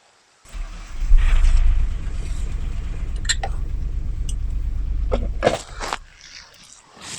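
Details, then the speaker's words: 1997 Mitsubishi Legnum with replacement engine, cam angle sensor being probed at ECU: engine catches and chugs unevenly, then dies; wiring issue suspected. Rough running then stalling. "See, it doesn't sound great, but it does start to run."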